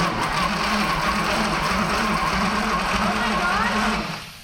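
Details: Former Navy patrol boat engine, condition unknown, first crank attempt: steady, even starter churning with a rhythmic pulse about three to four per second that never catches; cranks but won't start.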